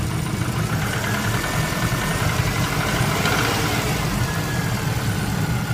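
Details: Subaru Impreza Turbo GC8 boxer idling loud and rough with a dull low knocking in the rumble; suspected bottom-end bearing (metal) wear, not confirmed: engine knock.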